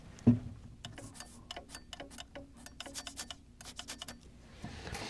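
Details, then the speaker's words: Light, sharp clicks as the pressure switch snaps open and shut when its hose is sucked and blown on a Goodman furnace GMEC960603BNAC, hose pulled off for the test; the switch is working properly. "that is the pressure switch turning on and off now that could be possibly why something would not be working is if that isn't opening and closing"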